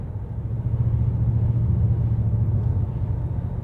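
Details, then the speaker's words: Older BMW automatic in drive at 40-50 mph after motorway: low drone with revs cycling 100-200 rpm continuously. Torque converter lock-up clutch slips and grabs when the ATF gets thin and hot. "you're into a 50 or 60 mph limit and the first thing you notice especially between 40 and 50 is you get a drone"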